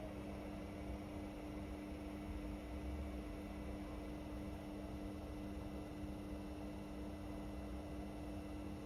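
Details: Indesit Innex XWSC61252 washing machine, previously not draining, test run after filter cleaned: steady, even spin hum with constant motor tone, no knocking, scraping or brush chatter; drum turns smoothly, speed dipped on high-speed motor coil.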